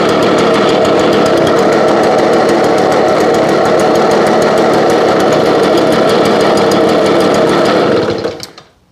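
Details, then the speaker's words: 2021 lawn care equipment (BJ86 two-stroke) started after 5 months' storage on ethanol-free fuel, no stabilizer, around 30 degrees, primed and choked; still cold, high buzzing fast idle with uneven wavering beat, running a little rough. "okay still cold but it fired up which is all we care about at the moment sounds like it is running a little bit rough"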